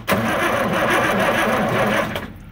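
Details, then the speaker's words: John Deere scraper bought at auction, owner suspects a bad injection pump, two batteries dead: sluggish, labouring cranking for about two seconds fading out without firing; slow cranking from discharged batteries. "all right our batteries are still dead but"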